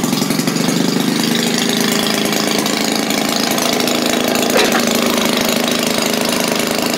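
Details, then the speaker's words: Maytag washing machine single-cylinder engine restarted after shutdown, running slow, about four uneven pops a second; owner thinks carburetor needs adjusting. "look there I guess I need to adjust the carb a little bit let me run this a little bit on the slow side there"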